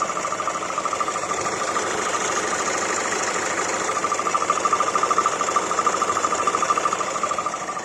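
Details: Hyundai i40 1.7 CRDi diesel idling with a strange noise: pulsing, fairly regular tick-like beat around two to three per second over a mid-pitched hum; source unclear.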